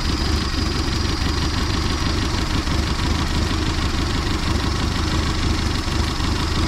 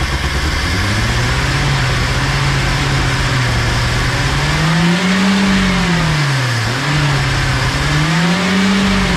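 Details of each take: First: 1979 Datsun engine revived after about 30 years sitting; steady even low rumble at idle with no knocks or misses, runs really well despite bent driveshaft. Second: 1979 Datsun, sat about 30 years with HEI distributor, first run: engine hunts in slow surges, revving far too high and never settling; broken vacuum fitting held by wire causes a huge vacuum leak, to be plugged.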